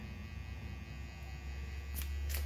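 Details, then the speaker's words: Microwave oven transformer (MOT) powering tubes, audible hum as input gain raises conduction; loud steady mains hum swelling slightly as conduction rises, two faint clicks near end. Normal transformer hum under load. "full conduction happens so if I read over here in term of holding up a little bit more and you can start to hear the MOT humming here so I'm getting some conduction at this"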